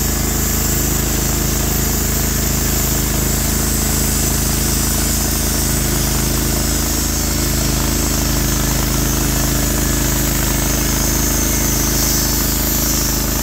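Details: Norwood HD36v2 bandsaw mill, day two testing new roller guides that replaced the ceramic guides, slabbing big black oak through bark at about 24 in wide: a steady, even engine drone holds pitch with no hunting or knocking; the motor is loaded normally and the cut was flat and effortless.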